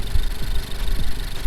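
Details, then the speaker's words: Honda Civic with rear motor mount idling roughly, uneven surging and shaking; cylinder one misfire with high air-fuel ratios, new spark plugs ruled out; owner suspects a failing cylinder one injector, noting fuel smell in oil. "so i'm pretty sure my injector in cylinder one is going out"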